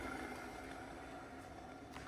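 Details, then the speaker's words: Haas VF1 mill gearbox without new bearings or seals, spun by hand: very quiet, even whir with a faint hum, smooth and silent, unlike the gearbox that got new bearings and seals. "it's beautiful and it is silent."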